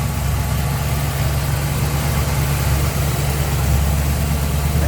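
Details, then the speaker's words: 1964 Chevrolet Impala SS, 327 V8 with headers and power steering, hood open at the engine bay: steady even low rumble, no misses, knocks or ticks; smooth healthy idle. "smooth running engine. Headers on it there."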